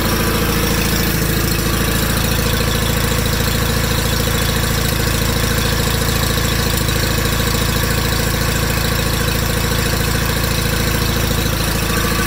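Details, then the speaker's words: 1987 John Deere 318 with a 1200-hour Onan P218G engine, first start after starter replacement: an even low thrum at a steady idle with regular firing pulses; the hydrostatic drive is quiet with no extra noise. "Hydro's nice and quiet, no extra noise. That hydro's quiet, I can't even hear it."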